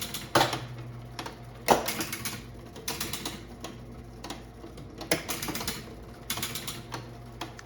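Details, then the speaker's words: Bally Super 7 bingo pinball machine after adjusting a switch: bursts of sharp, rapid relay clicks and clacks with brief buzz; relays pulling in and cycling normally. "Hear the hear the relays clicking."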